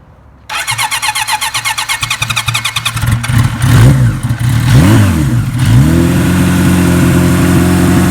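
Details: 1976 Kawasaki KZ900 with a Mr. Turbo package installed in 1981 and a Bendix carburetor, fuel valve on reserve; the starter churns about three seconds, the engine catches, rises and falls cleanly on a couple of blips, then settles to an even idle: normal start.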